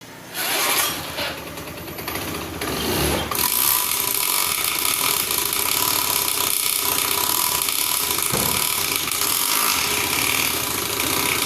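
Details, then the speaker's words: Honda Scoopy FI scooter, rear wheel won't turn with engine running after sudden harsh noise on the road: harsh raspy grinding from the CVT case; drive belt snapped. "Motor ini tidak bisa berjalan ketika mesinnya hidup ya dan berbunyi berisik pada baki."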